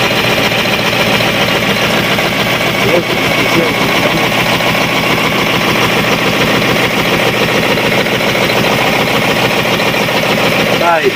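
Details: Cat 3208 starboard marine diesel idling after repairing the plunger and barrel, which had stuck from corrosion after 18 months: steady, even diesel clatter with no misses or knocks. Running cleanly.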